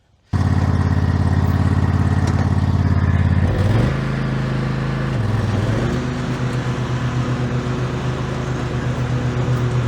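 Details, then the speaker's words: Toro TimeCutter SS5000 zero-turn after replacing noisy deck spindles and blades, cutting grass: steady engine drone, smooth blade whir, brief dip under load, no rattle or grinding; deck much quieter than before, normal. "It's a hell of a lot better than what I had before. Cut perfect. That deck is so much quieter than before."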